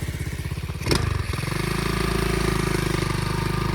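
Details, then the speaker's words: 2004 Flywing pit bike, small single: revs up and settles to fast idle with buzzy metallic rattle on each beat, a loose exhaust heat shield vibrating; heat shield rattle. "That is where the vibrator noise is. Is that the not the um coal on it is making that noise."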